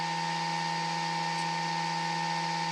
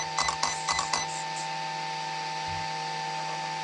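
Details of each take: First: Traxxas XRT RC truck conversion: steady electrical hum with no airflow or blade chop; the ESC cooling fan is stuck and not spinning while the other fans run. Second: Traxxas XRT RC conversion, fan checked with the cover popped off after it would not spin: high, steady whir that winds down, stops and spins back up to the same even pitch; the fan now runs freely.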